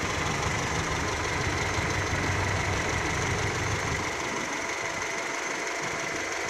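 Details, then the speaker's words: Car just started cold in neutral for warm-up: steady, slightly soft idle with an even beat and no knocks; engine sounds weak until warmed, about 5 minutes, nothing wrong. "nah ini mesin sudahah hidup ya lihat nah ini masih lemas ya mesinnya suaranya lemas"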